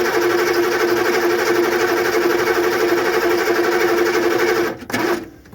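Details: GM 6.2/6.5 IDI diesel that sat long with old gummed fuel, cranked with fresh fuel fed by an electric pump: steady starter cranking, about four beats a second, never catches, then stops. Cranking no-start against a stuck injection pump.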